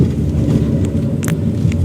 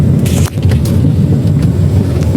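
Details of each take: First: 2016 Chery Arrizo 5, 125,000 km, after replacing worn suspension link ball joint that clunked over potholes: only low road rumble and faint ticks over rough ground, no clunks; suspension quiet after repair. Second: 2016 Chery Arrizo 5 at 125,000 km, chassis clunking over rough roads and when rocking the steering: dull repeated clunks and loose rattling; one worn stabilizer link with large play, fixed by replacing the link.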